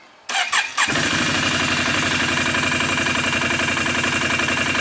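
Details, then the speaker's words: 2008 Can-Am 500 HO EFI twin ATV after new plugs and AMSOIL fluid changes, now running on both cylinders: starter whirs, engine catches and settles to a steady, even idle about 1250 rpm, no misfire or knock; normal idle. "really good. Idles right about where it's supposed to, about 1250."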